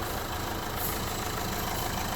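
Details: 2011 Renault Clio 1.5 dCi diesel, 226,432 km, brought in for an odd engine noise mostly when cold, after service: quiet, smooth idle with steady low rumble, no ticking or rattling; running normally.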